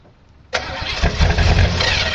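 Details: Cold start of a 1985 Monte Carlo SS V8 that sat 14 years, with a broken electric choke; it burns oil (valve stem seals needed): brief crank, then a lumpy, uneven cold idle; cold start without working choke.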